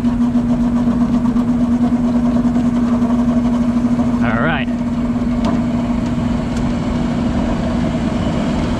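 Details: Exhaust fan utility-set motor that hummed but would not start, running at speed with a steady, even low-toned hum after being spun by hand; its run capacitor read about 7.3 µF, far off rating, and will be replaced.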